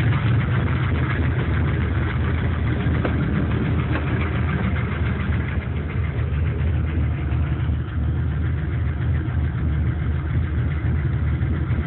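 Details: C5 Corvette LS1 engine in a truck, warm after 5 to 8 minutes running: heavy, low V8 idle with a faint irregular tick around three per second; owner asks whether it's piston slap, unconfirmed; runs strong, no leaks or smoke.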